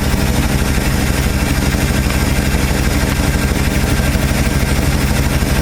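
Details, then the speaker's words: 1968 Ford F250, 390 FE V8, after replacing points with Pertronix Ignitor electronic ignition and setting timing slightly advanced for altitude: steady, even idle around 650 rpm, smooth low rumble, no misses or knocks; normal idle. "This is the way it's supposed to sound. Where's my RPMs at? Yeah, around 650."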